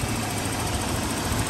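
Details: 2003 Toyota Kijang LGX 1.8 EFI petrol, manual RWD, first owner, engine bay: steady low idle with a soft, even patter of injector ticking over the fan noise; engine sounds healthy.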